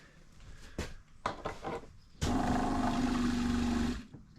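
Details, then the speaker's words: RV water pump on a 39-foot camper being winterized, drawing from a 1-gallon jug of RV antifreeze: after a few clicks a steady buzzing drone holds about two seconds as it primes and sucks fluid instantly, so the pump is priming normally. "so now if we turn on our water pump it's already sucking that stuff up instantly broop it's gonna go real quick"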